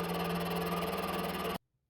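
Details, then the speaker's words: Used mini milling machine, first test with thin spindle belt, taking a light shallow cut on aluminium round bar: steady motor hum with even cutting hiss and no chatter; normal light milling. "切り込みを大きくすると怖いので、軽い切削ですが、このくらいなら大丈夫そうです。"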